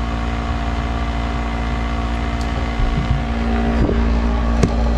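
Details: Snyder General furnace with no heat, clogged pressure switch port cleared so control board gets voltage; draft inducer motor steady hum with droning tone and rough flutter, sounding strained and unhealthy.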